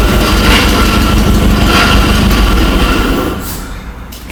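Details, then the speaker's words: Abandoned 1960 Nash Metropolitan, restarted after first revival: engine holds a steady, deep, even run under loud fan roar, no misses or knocks; running really well. "all right well it's running really well"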